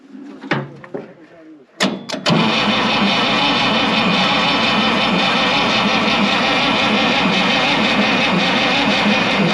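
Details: 1965 International 806 Wheatland diesel tractor sitting since 1995: steady even cranking churn about three to four turns a second with no firing; cranks but won't start, fuel not flowing, gear pump suspected, not confirmed.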